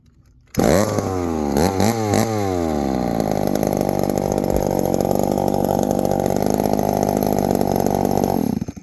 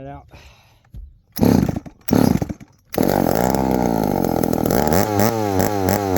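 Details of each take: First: 1972 Remington chainsaw; it starts straight away, revs through a couple of quick blips, then settles into a steady, even buzz with no misses. It has power and runs great. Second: 1972 Remington chainsaw with a broken manual oiler; it fires in two short bursts that die out, then runs with a wandering, surging note and won't hold idle. It keeps cutting off, and the owner suspects the idle screw needs adjusting.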